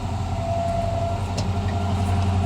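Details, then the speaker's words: 1978 Chevy 1-ton 4x4 ex-fire-department squad truck, 350 Chevy V8, cold start with some pumping, fires right up: steady low V8 rumble at an even idle with a faint whir from a fan that never shuts off, no miss or knock; normal. "ah yeah i don't know how well you can hear it but yeah fires right up"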